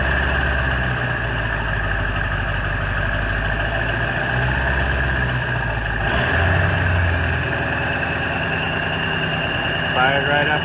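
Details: Ford 7.3 Powerstroke diesel, first cold start at 34°F after new injectors and glow plugs, sat about a week; fires promptly into steady even diesel clatter and low rumble, no misses or knocks; healthy cold start, owner notes new tune gives odd idle.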